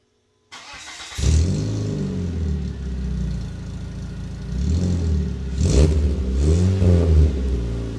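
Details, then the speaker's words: Dodge Neon after fitting a resonator, before the muffler is installed: starts and idles with a deep even burble and a few clean rev blips, no droning boom; sounds better than with the muffler. "oh hell yeah that's so much better man that sounds good I don't know if I'm even going to need this Muffler"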